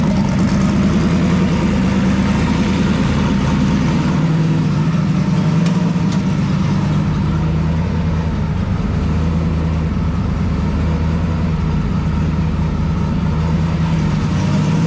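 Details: Turbocharged drag car after tune fixes and turbo oil-feed work: deep, even idle with a constant rumble and no squeak or chirp, the earlier squeaking noise now gone; normal idle.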